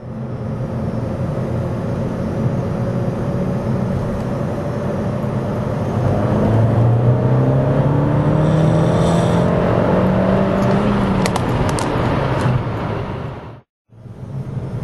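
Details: 2008 VW mkV GTI, CBFA TSI engine, APR Stage 1, Forge diverter valve, 3rd gear pull: revs climb in pitch then cut at the shift, with an odd extra note of unknown cause.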